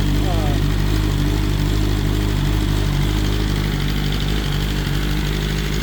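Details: BMW S1000RR first start after the oil plug came out and oil went everywhere: steady, even idle with low burble, no ticking, knocking or rattles; bike sounds great, engine healthy.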